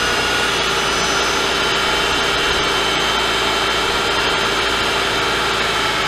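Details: Mercedes-Benz S211 with M272/M273 engine at cold start: loud harsh idle with metallic rattle from low oil pressure due to a flattened oil pickup tube O-ring, before repair.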